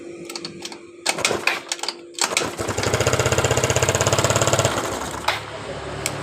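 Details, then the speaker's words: Yamaha Mio Sporty scooter that sputtered then died, compression, ignition and fuel checked: idles with quick steady putter, then stalls right when throttle opens; carburetor problem suspected. "jadi motor ini ketika dihidupkan seperti tadi motor hidup dengan normal setelah kita Pengecekan di bagian kompresi pengapian Danan bakarnya dan setelah kita menarik di bagian dari tuas gasnya motor ini langsung mati kemungkinan di bagian dari alahan di motor Ini kemungkinan permasalahannya di bagian dari karburatornya"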